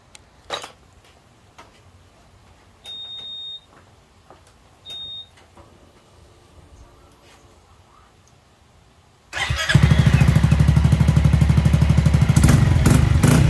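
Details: Honda ADV350 scooter checked for a strange noise, traced to loose engine and muffler-connection bolts that were tightened. A few beeps, then it fires and settles into a steady, even idle with no knocks: normal idle.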